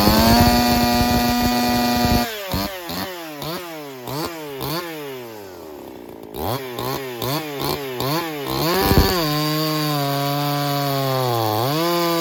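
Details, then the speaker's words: Ported Echo 4910 chainsaw, freshly tuned, first cuts: high revving, bogs and climbs again each cut, pitch sagging under load then screaming back; maybe a shade rich, topping out about 15.1 thousand rpm; suspected, not confirmed. "It sounds like it's maybe a shade rich, topping out at about 15.1, about 15.1 topped out at."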